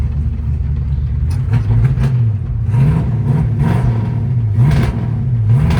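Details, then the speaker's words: 1968 Ford Fairlane 500 Fastback, first drive after sitting eight years, following a no-shift diagnosis: engine climbs in pitch, drops cleanly and climbs again through second and third; shifts normal, running barely, idle needs raising. "Second. Third. Aha! She's drivable, boys and girls, ladies and gentlemen."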